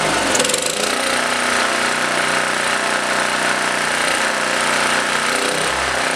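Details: Blue Max Gen4000B generator, sat for years, carburetor replaced and finger-tight parts tightened, air filter off; buzzes on part choke then sags, won't hold without choke; owner suspects too much air without the filter.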